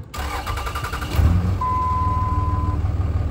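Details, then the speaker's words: 20-year-old high-mileage 2003 Dodge Ram 2500 5.9 Cummins diesel, valves never adjusted: short crank, catches at once and settles into a steady, even diesel clatter; a healthy start, occasionally cranks long. "fires right up nice doesn't crank too long intermittently it'll have a long crank but it's not the norm and that sounds really good"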